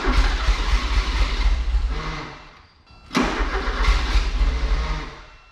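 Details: 1984 Porsche 944 after sitting a couple of years, fuel pump heard running: two stretches of steady cranking about three a second without catching; cranks but won't start, bad gas ruining injectors suspected.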